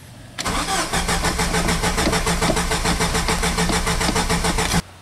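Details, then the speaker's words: 2.5L Jeep with clean fuel and plenty of fuel pressure. The starter cranks steadily at about three and a half turns per second for four seconds but the engine never catches: cranks, no start. A lack of spark is suspected, not confirmed. "right so at this point we want to see if it's got any spark we think that it has fuel the gas is clean it's got plenty of fuel pressure maybe it's not getting a spark"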